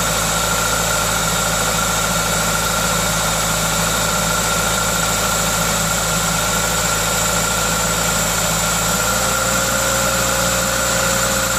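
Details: Toyota 2ZZ-GE engine: steady, even idle with a smooth hum and a constant hiss from the aftermarket induction kit, no knocks or misses; normal, healthy idle.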